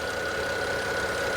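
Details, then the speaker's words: 2008 BMW 5 Series pre-purchase inspection, under the hood at idle: light fast ticking from the valve cover area with a faint whine, engine shaking and idling a little unevenly; exhaust smells badly, judged not worth buying. "listen to this does this sound good it's shaking a little bit there's a little bit of a ticking noise coming from the valve cover area"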